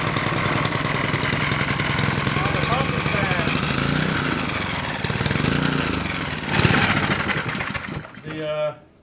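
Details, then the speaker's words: Honda 5HP overhead-cam engine from a yard go-kart, first run after adding fuel (low on oil, with oil found in the air filter): putters at a steady fast idle and pulls cleanly when blipped, runs well. However, the fuel pump is spraying fuel. "It sounded pretty good. Yeah, dude. Sounds good. Yep. Got a runner, man."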